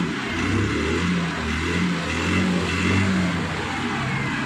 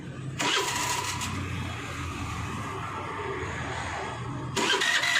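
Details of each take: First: Hero Maestro Edge BS6 scooter, after repair of hard starting and stalling or cutting out on acceleration (low pickup): it now starts on the first self-start after sitting two or three days, idles correctly, and revs smoothly; normal throttle response. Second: Hero Maestro Edge BS6 scooter cranked repeatedly, barely catching and dying, hard starting with stalling under throttle.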